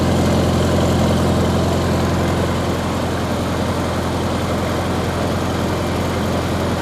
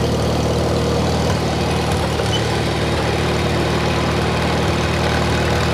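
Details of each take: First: 1953 Farmall Cub, warmed up after sitting two years, revved to what the owner thinks is a little over 1800 rpm: even steady beat picking up speed midway, no knocks or misfires, not running too hot; normal warm idle. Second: 1953 Farmall Cub, no muffler, just started after sitting two years, throttle raised: uneven, slightly lumpy idle with low throb that won't settle, struggling for gas; owner thinks it just needs to warm up and run.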